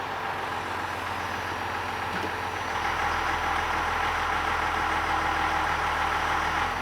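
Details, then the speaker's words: 12-valve Cummins diesel after governor spring tuning (10,000 shim, four clicks in): steady, even idle drops about 100 rpm when put in gear and holds smooth, governor bounce eliminated, normal idle in gear. "like that's about perfect like we lost about 100 RPM that's much better so if we can uh it's happier like the motor the governor is definitely happier"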